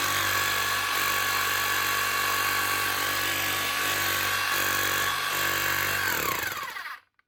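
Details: Metabo MHEV 5 BL brushless demolition hammer after new con rod and O-rings, chisel locked: fast, even blows at steady rate over smooth motor whine, clean spin-down; hammering properly, starts weak until grease warms.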